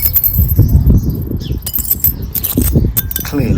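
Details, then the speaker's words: 2005 Mini Cooper S R53 (supercharged) bought with lift-off noise and lack of power: shaking the removed catalytic converter gives loose jangling clinks as pieces tumble inside; substrate broken up, looked overheated, suspected blocking exhaust. "so exhaust is off and I hear something which I suspect has uh could be the reason isn't this give it a shake [Music] I'm sure [Music] I'm sure bits of the cat shouldn't be uh falling out so"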